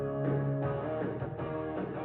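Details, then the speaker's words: ADAM A5X studio monitor after buzz repair: buzz gone but guitar playback dull, muffled, underwater-sounding with no treble, nothing from tweeter; dead tweeter from broken wire. "At least the buzzing's gone, but it sounds like it's underwater. So, I'm checking the tweeter here to see if I cover that if it changes any of the sound. And it seems like we're not getting anything [music] coming through the tweeter."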